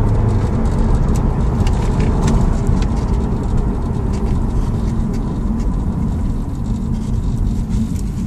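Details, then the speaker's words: 2008 Audi S6 at 100 km/h after a water-damaged cylinder 3 ignition coil fault was fixed and faults were erased: steady low engine and road drone, no vibration or misfire, no engine light; normal running. "Now, no light engine on, no vibration when the drive 100 is now. No uh problem at all."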